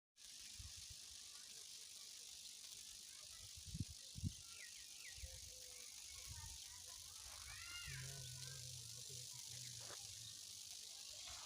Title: Why 765kV Power Lines Make This Strange Noise | High Voltage Explained